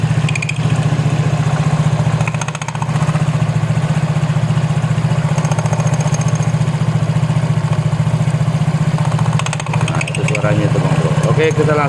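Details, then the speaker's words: Yamaha Mio J scooter, customer reports noisy transmission; on stand, idling at about 220 pulses a minute with a faint intermittent squeak from the rear CVT pulley, not front. "Nah, sekarang kita bisa mendengarnya, kan? Ya, terkadang memang terdengar suara itu. Kalau dilihat dari depan, kurasa tidak, pasti dari belakang, saudaraku."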